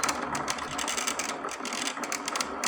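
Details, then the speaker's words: Holmes Blizzard air circulator fan on low speed: quick, uneven ticking and ratcheting over a soft fan whoosh from the oscillating-grill mechanism, which is only partly working. "This does have an oscillator that circulates the grill, but"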